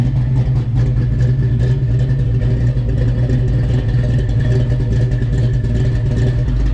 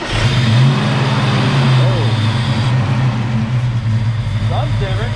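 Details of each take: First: Fox Body Mustang convertible with swapped-in 306 V8, timing now at 10 degrees and fuel pressure 40 psi after replacing TFI module and TPS sensor that caused timing trouble and near-stalling idle: steady, deep, smooth idle, no misses or knocks. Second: Fox Body Mustang convertible with freshly swapped 306 V8, computer already swapped, timing 10 degrees: low uneven loping idle with dips, wants to shut off; check engine light on; distributor replacement suspected next.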